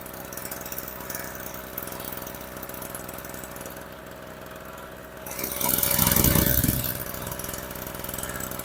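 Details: Storm Cat 700W two-stroke 63cc generator after repair, run on 40:1 fuel mix (spec 50:1), a little smoky: even, low putter at steady speed with no misses or surging, one brief louder rush midway; running properly.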